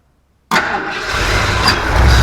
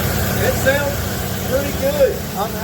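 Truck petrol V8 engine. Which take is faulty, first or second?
first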